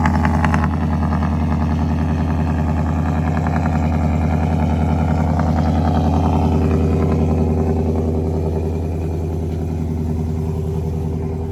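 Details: Ford 5.0 V8 truck first start after fitting Boss 302 intake manifold, eight new reman direct injectors and new tune to cure a misfire; steady even idle, faint light valvetrain tap, no knocking; normal idle.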